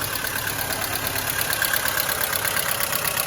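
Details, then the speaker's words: Mercedes-Benz W212 with the M271 engine at idle, oil level full: fast, light ticking from the top of the engine as the hydraulic lifters knock again. Coolant has been topped up three times and the owner suspects antifreeze is getting into the oil. "По сути, проблема с гидравлическими толкателями клапанов снова возникла. Они снова начали стучать. Вот так, по сути, они и гремят."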